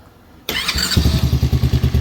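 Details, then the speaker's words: Kayo Predator 125 GY6-type single with no spark, fixed by flipping a part under the cover so it sits evenly; quick crank, then fires and settles into an even steady thump about eight beats a second, starts and runs cleanly. "There we go. Starts and runs."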